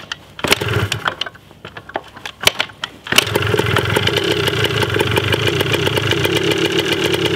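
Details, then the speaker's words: 1980 Yamaha DT 125 Enduro two-stroke, first start, battery uncharged, very low compression noted, carb not yet cleaned: a few kicks and pops, then catches and settles into a busy rapid idle, even while warming up. "But wow. She runs. Didn't sound too bad either. Pretty stoked about that."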